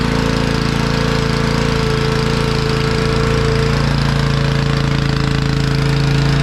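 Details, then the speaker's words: Honda EG1900X generator, Honda GX140 petrol engine, stored over 10 years, before carb cleaning, fuel tap left on with stale fuel: fast pulsing with hard edge and slight unevenness, runs only on choke, likely starved by stale fuel. "so it's only running on choke which is expected I mean that fuel is pretty Grim so that doesn't surprise me really but it's run that's that's a good sign"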